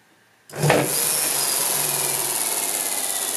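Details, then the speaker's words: Hub motor with dual Nucular 24-FET controllers, wheel off ground, around 50% throttle: rough violent burst then uneven whirring as it stutters at low speed/zero RPM; on the ground it never runs; cause not identified. "so that time was like about 50 throttle but you still heard it stutter for a second there now it's totally stopped again violent"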